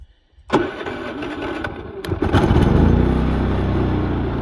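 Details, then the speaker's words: Predator 3500 inverter generator after maintenance, started on choke at high elevation: short pull, catches within a second, settles into a steady, even idle with no misses; runs far better than before. "yeah that sounds good 12.4 volts okay yeah that sounds really good way better than before"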